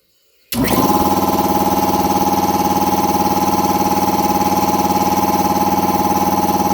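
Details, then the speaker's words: Air compressor after installing a brand-new replacement pump unit (the old pressure switch had failed and stuck, overpressuring the system), switched on to pump up, expected cutoff about 145–150 psi; fast, even piston pulse about three per second with steady hum; normal running under load. "So right now I'll turn it on, and hopefully we'll turn off about like maybe like 145 or 150 or so."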